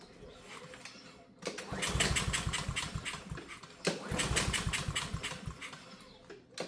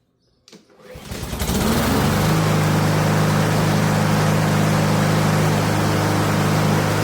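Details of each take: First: Honda walk-behind lawn mower that won't start, with gas and oil: two long pull-cord cranks with quick uneven chuffs that never catch; starting fluid confirmed a fuel system problem. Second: Honda lawn mower right after a brand-new carburetor was fitted. It starts on the first pull and holds a steady, even drone without surging. Running normally.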